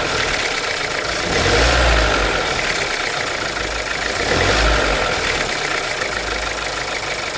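Idling engine with two brief blips of revs and a light, somewhat uneven ticking over the hum; cause not pinned down.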